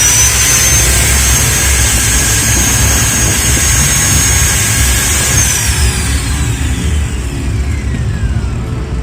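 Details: Ryu RSG 100 angle grinder after replacing seized head/armature bearings and refitting carbon brushes: steady high-speed motor whine with even gear hum, then smooth falling pitch on coast-down; healthy.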